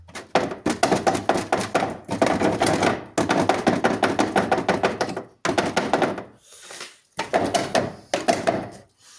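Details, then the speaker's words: Car with a customer complaint of knocking at the rear, like a cracked spring: quick hollow knocks in bursts, about five a second, from a loose rear underbody part on rusted-out mounting points; re-secured with 10 mm nuts and plastic pieces. "Оля каже клієнт що щось взаді стукає ніби з пружина трісла ніби що не годен він знайти твої причини знайшли Ми причину А причина буває така і то вона часто буває"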